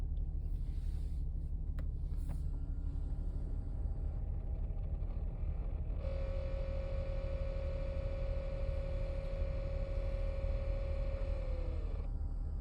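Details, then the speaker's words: 2012 Nissan Pathfinder R51, warmed up with heat on: steady mid-pitched whirring/growling from center-left of dash over road rumble, then stops; unaffected by fan speed or mode, stops with HVAC off or dash tap, once only over bumps, cause unknown. "Does it after it's warmed up for a while. Um, used to do it only when I hit bumps. Now it does it all the time."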